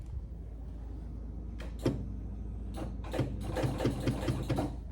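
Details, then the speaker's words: Hisense RQ760N4AIF American fridge freezer water dispenser: quiet low buzz with irregular ticking about twice a second, pump hums but delivers no water. Owner suspects pipes and rear pump freeze up overnight; not confirmed. "you just get that because the pumps obviously Frozen up anyway"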